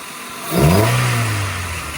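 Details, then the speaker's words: Honda Civic with a newly fitted intake: throttle blips raise the revs with a deep sucking rush from the intake, then a steady idle; healthy breathing. "Oh, you can hear it. You can definitely hear it sucking."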